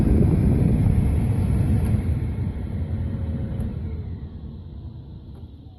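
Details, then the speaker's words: 1997 Dodge Stratus heater blower motor on the extra-high position, which bypasses the blower resistors (the only speed that originally worked): steady low rushing air roar, no rattle, slowly tapering off; blower healthy. "second position you can hear it third and the last position is again with all those resistors bypassed and this one was originally working"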